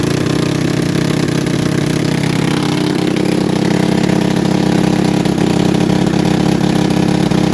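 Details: Manco Thunderbird minibike single-cylinder after reassembly with new spacer, just started: fast steady idle with busy raised beat; high idle, owner suspects intake manifold leak letting in too much air, plans another gasket.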